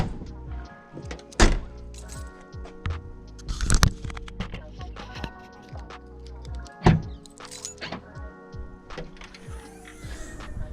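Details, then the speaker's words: MK6 Ford Fiesta, newly replaced boot popper solenoid tested before reassembly: single sharp clunks a few seconds apart over music, clean firm release; boot release solenoid working normally. "sounds like it's working perfectly let's try"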